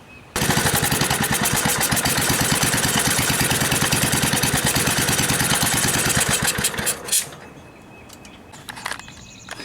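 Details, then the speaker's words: Gravely tractor with a new aftermarket carburetor: the single cylinder pops fast but unevenly for about seven seconds, then dies. It runs only with the choke fully closed and seems fuel-starved; fuel pressure is about 3 psi, and the owner suspects a kinked hose. "It's almost like it's starving for fuel, and with the choke all the way closed, it'll run because it's pulling the fuel in rather than the pressurization letting it through."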